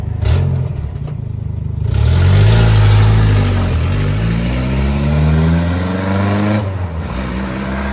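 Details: Toyota 22R engine revving with a rough puffing tick on the exhaust note, about three or four per second, quickening with revs; exhaust leak.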